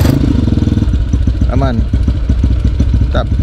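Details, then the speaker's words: Idle with the camera placed low under the bike to check for a droning hum before a test ride; owner investigating rough sound when releasing the clutch on a bored-up CRF with 200 ml extra oil; steady even thumping idle, no hum: normal idle. "Coba kita simpan lagi si kameranya di bawah di sini pastiin dulu di buaterekam suaranya gak ada suara-suara dengung tu aman"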